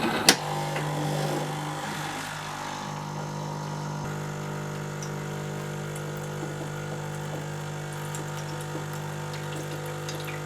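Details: Jura Z5 coffee machine, repaired for a terrible rattling noise: steady even low pump hum with constant drone, no rattling or knocking; pump running smoothly.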